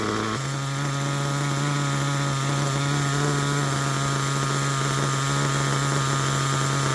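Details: Picco P3TT DLC nitro engine, almost 10 gallons through it, new bearings and connecting rod, worn crankshaft, damaged sleeve and block, rear bearing feared weak: loud raspy high-pitched buzz with slightly unsteady beat; holds idle unevenly, worn and rough.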